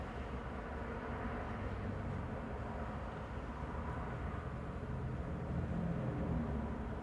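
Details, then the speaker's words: 2011 Scion xB 2.4L after throttle body clean and idle reset, warming up: low, steady rumble around 610–620 rpm with no hunting or surging; normal idle. "It dropped below 700 now. So right now it's around 620, 610. So it's around its normal specs."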